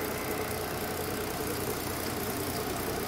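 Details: Mercedes-Benz SUV that had codes P0300, P2090 and P0353, idling after repair with zero misfire counts on all six cylinders: a steady, even idle hum with no misses, ticks or knocks.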